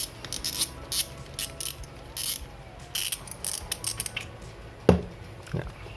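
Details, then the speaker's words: Shimano Vanquish 4000XG (2020) spinning reel before service: irregular clicking and ratcheting as the handle turns, with uneven gritty catches instead of a smooth spin; rotor rotation has become rough. "untuk putaran di sini udah mulai agak kasar ya terdengar dari suara rotornya ini"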